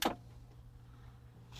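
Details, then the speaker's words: Sansui CA-2000 stereo preamp powered up through a dim-bulb limiter with a 40 W bulb: switch clack, then steady low mains buzz from the big power transformer; normal hum. "And you can hear the big transformer back there buzzing."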